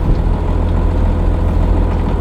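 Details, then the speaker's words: 80 series Land Cruiser with Cummins diesel swap and repaired NV4500 transmission, transmission tunnel now sealed, in-cab while driving: steady low deep diesel drone, no whine, drone peaks or rattles, quiet and even; normal cabin noise. "compared to the open transmission tunnel when I had first started driving it and show you the difference it's it feels not much louder than my Corolla hybrid this is what it should sound"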